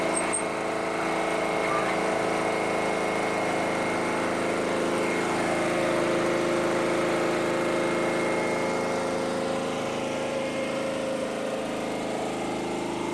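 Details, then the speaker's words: Petrol generator converted to propane, unused for about five years, with the gas line plugged into the petrol inlet, carb bypassed and choke off. It runs with a steady, even drone, no misses or surging, with speed set by gently opening the bottle valve. "So you can hear that, there's gas going in it, don't it? There you go! That generator hasn't run for about 5 years."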